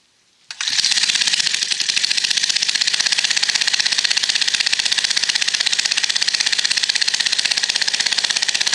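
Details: Late-1960s/early-1970s Italian Aspera Motors garden tiller, Tecumseh-licensed engine with Dell'Orto carb, started after sitting for years and some minor parts replaced: it catches at once and settles into a steady, even putter of about four beats a second. It idles smoothly.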